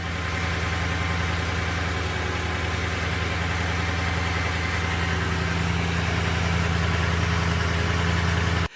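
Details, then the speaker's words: Toyota 5.7L V8 on 0W-20 oil, before a change to 5W-30: steady, even idle with a light, fast tick over the low rumble; owner calls it noisy, ticky and loud, hoping the 5W-30 settles it down. "Sounds pretty noisy to me. Also, I feel like the engines are running loud."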